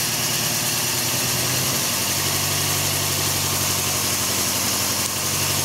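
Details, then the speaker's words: 2003 Toyota Echo, coil-over-plug ignition, P0304 code: cylinder drop test at idle drops RPM on cylinders 1–3, but unplugging cylinder 4 gives no change in the steady, slightly lumpy idle; cylinder 4 is dead from a failed ignition coil, fixed by replacing it. "so you hear RPM drops on one two two and three no RPM drop on number four go ahead and shut that off okay so we know it is the number four cylinder that is misfiring"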